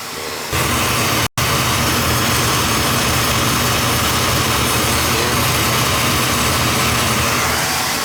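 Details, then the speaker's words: Beckett oil burner reported starting rough about 5 months after service, old ignition transformer from around 2000, steady flame roar after a brief early dropout, then smooth and constant; starting nicely, spark still good. "It's starting up nice now, so. I don't want to sell you something you don't need. Your old spark is still good."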